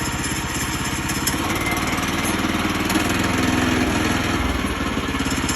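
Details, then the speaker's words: Woodland Mills sawmill's small single-cylinder engine idling with the throttle released: a loose, uneven metallic rattle from the front centrifugal clutch, disengaged so the blade is stopped; normal, nothing wrong. "So you hear that rattle, that means the blade is disengaged, the clutch. So basically, now it's not moving because I let off the throttle."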